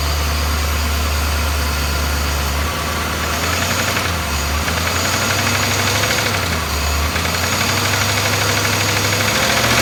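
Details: BMW S62B50 V8 in an E30, idling: busy metallic rattle over low drone; suspected VANOS or timing chain noise, probably both, with the upper plastic chain guide partly destroyed.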